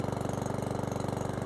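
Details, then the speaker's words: Certified 150cc lawnmower single-cylinder engine idling after an oil change: quick, even putter with steady pitch and no misses, no smoke from the exhaust; a clean, healthy idle. "I like that there's no smoke that came out the exhaust, and seems to be running okay."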